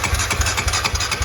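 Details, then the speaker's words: 2001 Honda TRX250EX ATV that sat over ten years, in neutral, cranking with a spark plug tester fitted: even rhythmic cranking with a firm low thump about four times a second, compression strokes solid and regular. "we are going to uh stick the spark plug tester in there just make sure this thing's got spark i can hear that it's got compression"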